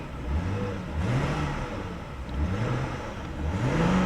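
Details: Auction car: after a restart in drive, the engine flares about once a second, pitch rising then sagging without pulling the car. A check engine light comes on and smoke is smelled. The automatic transmission is slipping.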